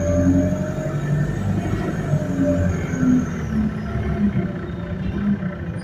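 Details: Go Ahead London Central ADL Enviro200 bus YX13AFY on route B16, riding aboard: wavering mid-pitched whine over low road rumble comes and goes with speed; whine source unclear.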